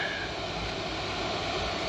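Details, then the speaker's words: 2015 Nissan Murano Platinum driver's seat, set to AC after replacing the failed climate control module and harness: even, steady airy whir with no ticking, rubbing or wobble; seat ventilation fan running normally. "So this is your fan right here, and I can feel it sucking some air, and it goes through this tube."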